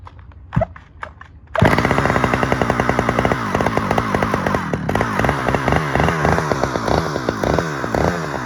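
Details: Stihl 009L chainsaw from Marketplace, first outdoor start; catches after a few pull-cord tugs and runs with a crisp, steady two-stroke buzz, revving cleanly; broken fuel line leaked when tipped; normal running.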